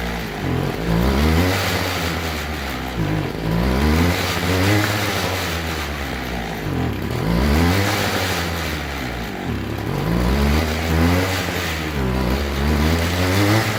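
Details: Two-stroke string trimmer before carb diaphragm replacement: revs up and sags unevenly, never holding a steady pitch; rough running, suspected faulty carburettor diaphragm.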